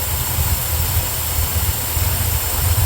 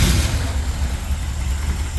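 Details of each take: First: 1975 Corvette V8, new plug wires, vacuum gauge fitted: after the distributor is moved to correct the timing, a low, steady burble with an even pulse and no stumbling; owner suspects the carburetor is too big and runs rich; normal idle. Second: 1975 Corvette V8, new plug wires, first start, vacuum gauge fitted, carb being adjusted: a deep idle with a faintly uneven, loping pulse; timing close but slightly off, distributor needs moving; vacuum improves and the idle smooths as it is turned.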